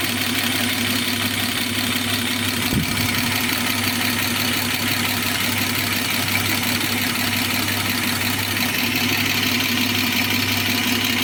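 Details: BMW E34 with M50B25 straight-six at steady idle, with fast, light metallic ticking throughout attributed to the hydraulic lifters; valvetrain ticking.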